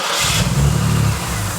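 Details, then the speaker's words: Ford BA Falcon after a drift day, check engine light on: high, uneven lumpy idle hunting, cylinders dropping; traced to a blown intake manifold gasket leaking at the rear; engine dieseled on after key-off. "yeah definitely got a back leak down the back here"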